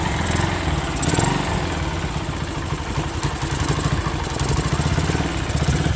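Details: Honda Sonic 125 idles normally with a quick, fairly even putter and light ticking after fuel line replaced and extra fuel filter added, following a no-start three days after repair with new plug and carburetor; part left off to check for flooding.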